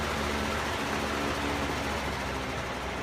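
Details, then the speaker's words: Household fan motor that had seized, repaired with about three drops of SqueakSgone lubricant, blade refitted: even, steady airy whoosh on high speed, no squeak or rattle; fan runs smoothly. "and I literally literally just put three drops or so of squeak scone and although this thing wasn't squeaking it still fixed the problem"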